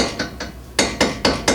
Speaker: So, our joint is actually loose down here. Okay, now we can make it a lot louder. You should not be able to make any noise out of a tie rod end.